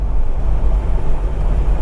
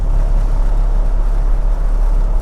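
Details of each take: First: Toyota Land Cruiser abandoned 8 years, after the driveline vibration fix, at 60 mph: a steady, even road rumble with no pulsing or droning beat, so the driveline is smooth and vibration-free. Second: Toyota Land Cruiser abandoned for 8 years, at about 50 mph: heavy, steady low droning rumble from severe vibration whether accelerating or not; suspected driveshaft, prop shaft or universal joint, or tire flat spots, unconfirmed.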